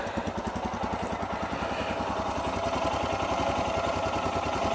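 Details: Royal Enfield Himalayan 411 after fitting longer Thunderbird 350 clutch cable (stock snapped at nib) with about 3 mm free play: steady single-cylinder thump, about three and a half beats a second, even and unhurried; healthy idle.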